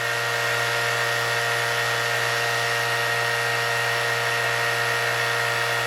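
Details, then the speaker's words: Shelf-mounted vacuum pump exhausted outside, with Joe Woodworker controller and reservoir, set to about 28 inHg for rudder infusion: vacuum released, pump kicks on; steady even hum with constant high whir, no knocks or surging while pulling down; normal. "So I'm going to take the vacuum off. And you hear the pump come on now. The vacuum is dropping."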